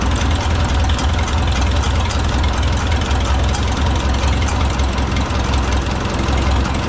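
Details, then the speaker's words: Oliver 66 tractor with a replacement Marvel Schebler TSX carburetor at idle, idle mixture screw backed out until the laboring stops: a deep, even idle with a steady exhaust note and no laboring or hunting; mixture set right. "There's a subtle change in the note of the exhaust. Hear how the engine started to labor. So then you back your idle screw back out until that labor goes away."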